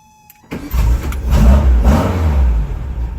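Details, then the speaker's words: 1974 Volkswagen Karmann Ghia after starter repair: brief crank then quick catch and rev to a steady run, no clicking or hesitation; starter engaging normally, though the old one failed intermittently so reliability remains to be seen. "Alright, it seems to be working. We are going to a certain extent, only time will tell."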